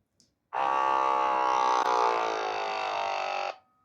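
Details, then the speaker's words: Pixapresso portable espresso maker modded to non-pressurized, about 70 ml of water with a finer grind: the pump strains and buzzes, sags in pitch and keeps stopping, unable to push through the coffee. "and as you can hear the pump is choking means that it can't push the coffee. It stops. It keeps stopping because that's a finer grind for what the machine can handle."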